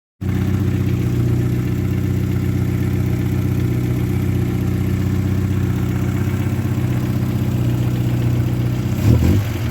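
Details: Petrol engine at steady idle with a hollow, rapid knocking from the block: piston slap.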